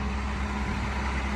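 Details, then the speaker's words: 1977 Datsun 280Z fuel-injected barn find, running on its own for the first time after 16 years sitting, new oil and plugs: low, steady, even idle with no knocks, misses or hunting; healthy and settled. "she just started right up and it sounds great i'm really stoked right now it's running good it sounds good"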